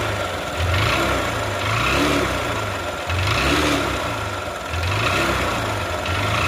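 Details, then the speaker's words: Bike with cylinder bore failed by 16,000 km: uneven, slightly lumpy idle with a dull rattle under the exhaust beat; oil blowing badly past the piston into the silencer; worn cylinder bore, before repair. "Oil అయితే చాలా అంటే చాలా ఘోరంగా ఫిస్టింగ్ నుంచి అయితే oil అయితే return అయితే silencer లోకేయతే కొట్టేస్తుంది చేతులు చూస్తే తెలుస్తది మీకు చాలా ఘోరంగా అయింది."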